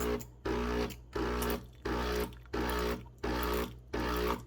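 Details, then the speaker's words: HOUSNAT espresso machine on its hot water feature: the vibratory pump buzzes in regular pulses, about 86 a minute with short gaps, squirting boiling water in spurts then more constantly; normal pump pulsing. "then sometimes it does this, I've noticed, where when the pump is moving, it'll go ahead and squirt it in like that, kind of like a milking a cow."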